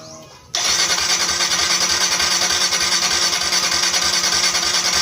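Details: Motorcycle that starts then dies when throttle is turned, after spark plug reseated: steady fast starter whirr, about three beats a second, never fires; cranks but won't start, spark plug suspected, not confirmed.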